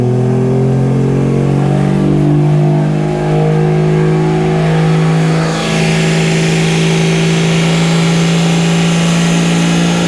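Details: Toyota 2JZ inline-six swapped into a Mercedes, run again after two years of work, oil pressure confirmed: strong smooth drone holds steady, then revs rise cleanly with no knocks, rattles or misfires; no leaks found; normal running.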